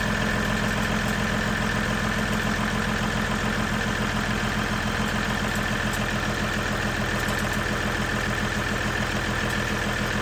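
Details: Ram EcoDiesel idling after an aFe charge pipe install: steady, even diesel idle with a light turbo whistle, turbo more audible than before, no knocks or misses; smooth, healthy run.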